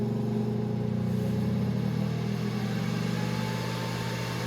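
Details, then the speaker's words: Breville Smart Oven Air Fryer Pro, new, super convection in warm mode, door being closed: steady low whooshing hum with even fan tone, no rubbing or rattle, not very loud with the door shut; convection fan running normally at high speed. "Yeah, that sounds like an air fryer now. Let's close the door and see how loud it is. It's not crazy loud when the door is closed."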